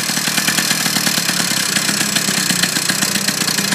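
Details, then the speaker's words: Two-stroke motorized bicycle kit engine on first start with break-in oil/gas premix, idling about 5 minutes while the idle thumb screw is adjusted; crisp, steady, even buzz with no misses; normal idle. "let it idle for about 5 minutes in other words let the motor just run without it taking you anywhere"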